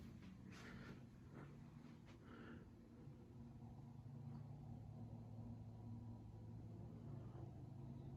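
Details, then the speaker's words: Vintage 1992 ceiling fan, unknown brand, almost 30 years old, running on low: faint, even low hum with no rhythmic noise or rattle. Only a startup noise; runs smooth and quiet. "I can't hear anything but it has a startup noise. Oh yeah, Jordan, it's a good fan."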